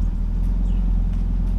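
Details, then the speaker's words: BMW E46 drift project car restarted after sitting three months; oil poured into cylinders leaves a tiny bit of blue smoke from the exhaust dump. Low, steady, even burble with no misses or knocks: smooth idle. "but sounds good idling smooth you can see with the exhaust dump that I have on the car there's still a teeny tiny bit of blue smoke puffing out because the exhaust dumps out like right here"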